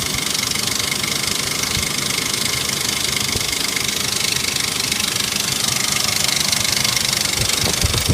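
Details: 1998 Ford Explorer V6, about 123,500 miles, idle only: loud, fast, sharp clicking from the top end that started suddenly. Confirmed as a failed timing chain tensioner with broken pieces; chain and tensioner were replaced.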